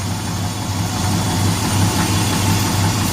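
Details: 2005 Dodge 1500 pickup, 4.7L V8, after head gasket and timing chain repair: a deep, even idle with a steady beat and no misses or knocks. No check engine lights and the combustion leak test fluid is clear; it is idling healthily.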